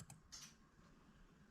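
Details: 1978 Chevrolet El Camino's 4L60E transmission being rebuilt, pan off, shift solenoids activated manually: crisp, sharp paired clicks in a quiet room as they switch on and off; both working normally.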